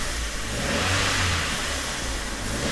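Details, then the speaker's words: Abandoned Vauxhall Corsa, weak battery with dash lights flickering: loud, ragged, coarse uneven revving with no clean note; running rough, almost no oil on the dipstick plus sludge, owner believes that is why it sounds bad. "There's no oil in it. That will be how dry it looks. Oh, that will be why it sounds so bad."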